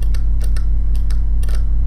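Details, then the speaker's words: Close-up of the 1971 Soviet SB-1M/50 impulse counter mechanism: the solenoid pulls a lever arm on each electrical impulse, ratcheting the count. Crisp, light clicks, about eight in two seconds and often in pairs; normal solenoid ratchet click. "so you see the lever are moving and this is the the electromagnet here the solenoid you can just see that's just pulling the lever out okay every time i give an impulse"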